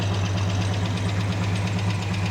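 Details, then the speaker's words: 1987 Chevy S10 after running with antifreeze in the oil, fresh oil and filter, idling: steady low idle with faint regular light ticking; owner unsure how damaged engine is, ticking seems to be improving. "Right now, I'm not entirely sure how hurt the engine is from running with all the antifreeze in it. And you can probably hear the ticking. It sounds like it's getting a little better, but I don't know."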